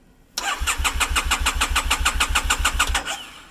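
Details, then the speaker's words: 2012 Triumph Bonneville T100 with new battery at 12.3 V, relay wire rewired to the clutch switch via a diode to bypass ECU cutout, enricher pulled: starter cranks evenly, about three to four pulses a second, for about three seconds; never catches, cause unknown. "and it still doesn't want to start, so I don't know what's going on."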